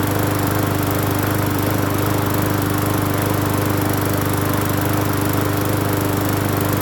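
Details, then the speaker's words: Free Hyper Tough 20-inch push mower on first start after cleaning the carburetor and gas tank, with fresh gas and off-brand Seafoam treatment added. Steady, even beat of about 214 per minute with no misses or surging, not shaking. Normal running. "not shaking either. Not as bad. Wow. Not bad, not bad. Not bad at all, not bad at all."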